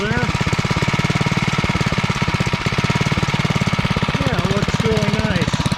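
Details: REO Trikeabout single-cylinder engine after a homemade flywheel key replaced the partly sheared one and NOS points and condenser were fitted: steady, even putter with a firm low thump and no popping or misses; normal running.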